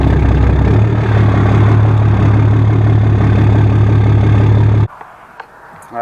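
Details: 2011 Dodge Ram 6.7 diesel with 5-inch exhaust, road test after replacing exhaust pressure sensor for P0472 (weak exhaust brake): deep heavy diesel roar holds steady then cuts off abruptly; exhaust brake now working at full capacity.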